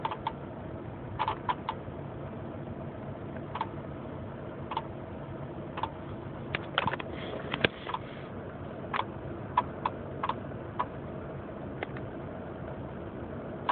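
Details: 1996 Honda Accord LX manual; sharp light clicks about once a second, somewhat uneven, over a quiet engine hum; source unknown.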